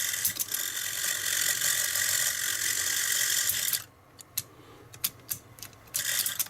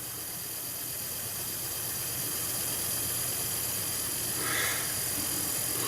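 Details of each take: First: Stellaphone ST450 reel-to-reel tape recorder, 61 years old, during restoration with a new belt kit fitted: high, busy mechanical chatter for about four seconds, then it stops, so the drive motor is running noticeably louder than it should. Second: 61-year-old Stellaphone ST450 reel-to-reel tape recorder during restoration, after cleaning oily, clogged parts: steady, even drive motor hum under heavy hiss with no speed wobble or rubbing; motor running normally.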